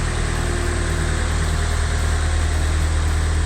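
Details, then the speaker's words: Nissan S14 Silvia with freshly built replacement SR20DE+T, first startup after oil priming, about 16–17 inHg vacuum: deep uneven lope of about three pulses a second, no knocking or smoke; rough idle, check engine light later flashing. "sounds good so far it's not a great Idol doesn't seem to be popping any smoke over the back"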